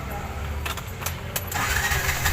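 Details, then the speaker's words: Bajaj RE with a low-idle stalling problem, after tightening the loose throttle body assembly with an Allen wrench: a few clicks and a rattle, then it starts at once and holds a steady idle with no stalling and no air leak, good running condition. "Wow! Hindi naman, wala nang singaw guys at hindi na siya namamatay. Ayan. Ayan, good running condition."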